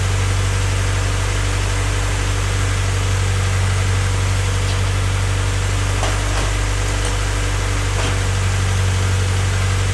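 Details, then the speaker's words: Honda Civic freshly rebuilt D16Y8 engine just after first start-up, idling before any throttle, residual oil smoking off the exhaust manifold: steady, even idle, smooth low hum, no bottom-end knock; normal healthy idle. "Right now it's running. Like I said, everything sounds smooth. I'll just let it run for a bit before I start giving it any type of throttle."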